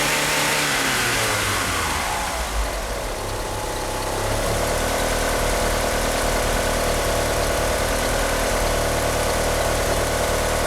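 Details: Petrol car fitted with 850cc injectors, with a slipping power steering pump belt: engine stumbles and sags when blipped, unable to rev up, then settles into a lumpy, uneven rough idle.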